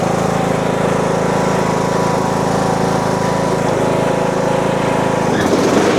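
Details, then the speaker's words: Husqvarna 42-inch riding mower deck with blades engaged: a heavy rhythmic throb about four times a second as the deck shakes, from a broken pulley and a loose, incorrectly installed spindle pulley. "So you see it's shaking and you see the spindle is stopped, but you can hear that the blade is still spinning, so it's loose."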